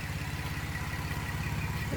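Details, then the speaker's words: 2011 car swapped from LLT to LFX engine: fast, even, sharp raspy puffing tick riding on the idle in step with firing, exhaust escaping where the manifold pipes are not connected; exhaust manifold leak. "You know that the the manifold pipes are not connected."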